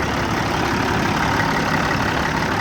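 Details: Kenworth T600 semi idling with the fan clutch engaged via a newly installed manual air-line switch: steady even diesel idle under strong constant fan roar, no knocks or surges; fan clutch working.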